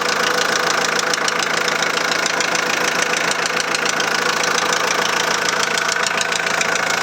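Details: 2001 VW Transporter T4 1.9 TD diesel at idle, rocker cover off: steady, even knock about three to four a second deep in the clatter; first suspected in the head, teardown found big end bearing surfaces almost gone: worn big end bearings.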